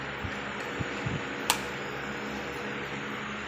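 A soft, even low hum with steady hiss and no rattle or buzzing vibration; the pump is running quietly and smoothly.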